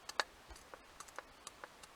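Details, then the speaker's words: Royal Enfield 250 Clipper pre-unit clutch pressure plate rocked on a window pane: light irregular glassy clicks as it wobbles on a high spot that touches down and grabs first; plan is to lap it flat a couple of thou with a worn lined disc. "that one is obviously a high point in the surface of the uh playing plate there the pressure plate and clearly that touches down and throws the grip before any of the rest of it"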